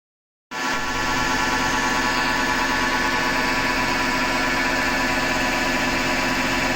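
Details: Hotpoint Ariston FMD963 washing machine running with a steady, dense gritty grinding; owner thinks it comes from the motor rather than the drum and plans to remove the belt to test.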